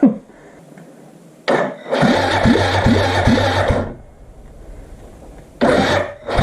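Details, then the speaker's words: Suzuki GN250 during reassembly, cranking on the starter with the throttle open during a compression test (about 100–115 psi): compression strokes about every half second, dragging slower after the first rounds; owner suspects a flat battery. "i guess this is out of battery that's why it slowed down the first couple rounds were like it should be"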